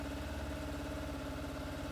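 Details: 25-year-old Yamaha FZR1000 first start in six years after carb clean and fuel system reinstall, no choke, oily residue smoking off head; smooth even idle, steady low exhaust beat, no knocks, ticks or rattles: healthy.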